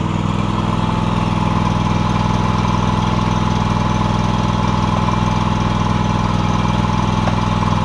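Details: John Deere X300 mower after a new deck belt and greased spindles. Steady, even engine drone at constant speed, no surging, knocking or belt squeal: normal running.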